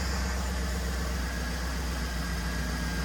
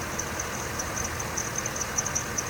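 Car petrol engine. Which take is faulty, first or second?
second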